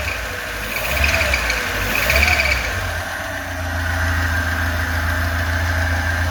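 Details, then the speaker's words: Lada 2104 carbureted engine, bad fuel pump bypassed by pouring fuel into carburetor, choke off: steady even idle without misses; normal idle, possibly running a bit rich. "okay she's running really good I can't believe it"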